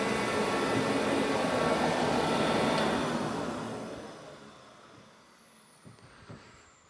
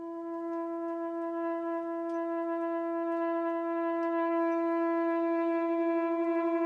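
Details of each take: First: Forced-air garage heater that heats the air fast, normal running: a steady loud roar of fan and burner with an even hiss and an annoying high-pitched squeal, then tailing away. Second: Propane garage heater with a striker and a rear lever, button held long to light: a loud, steady, horn-like moan at one mid pitch with slight pulsing on every startup; owner guesses air in the hose but doubts it.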